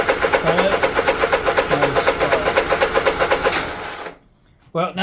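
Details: Honda EU3000is generator that runs but won't start on the electric starter, new ignition switch fitted, jumper across kill circuit, possibly flooded: even starter chug about four a second for nearly four seconds without firing; cranks without starting, cause suspected, not confirmed.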